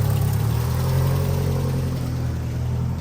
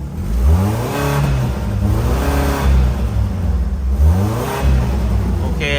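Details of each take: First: Tata CNG engine with faulty A36B ECU, code P2103: pressing the throttle, revs stay flat near 1,200 rpm and won't climb; blamed on electrical short into the ECU, likely from radiator fan circuit. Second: Tata CNG car with slow acceleration (rpm stuck at 1,200, codes P2103/P2111) after swapping the failed A36B ECU: engine revs up and settles back several times, rising cleanly with no stumble or hesitation.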